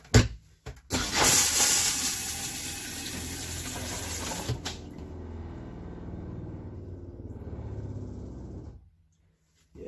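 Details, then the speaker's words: 2018 Keystone Outback RV, maiden flush after replacing the Thetford toilet, no leaks: a strong rush of water, then a steady refill hiss that stops cleanly while the water pump runs, a normal flush and refill. "I'm not sure if you can hear the water pump running or not, but it's basically doing exactly what it's supposed to be doing."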